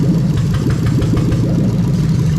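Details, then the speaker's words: Toyota Sequoia 2UZ-FE non-VVT-i V8 on a rebuilt manual harness with remapped ECU, idling while injectors are unplugged one at a time: an uneven, stumbling beat from a dead cylinder. Deliberate misfire; the slight occasional hesitation otherwise was judged harmless, possibly over-fuelling. "the little hesitant misfire every now and again nothing wrong with it you'll see when I pull the injectors out it's going to misfire properly every single time"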